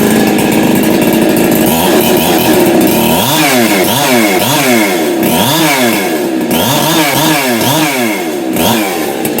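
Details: Husqvarna 365 Special chainsaw just after a muffler mod, with the cracked exhaust welded and a small crack remaining: loud, crisp two-stroke snarl rising and falling with repeated revs, clean pickup and steady idle between; runs healthy.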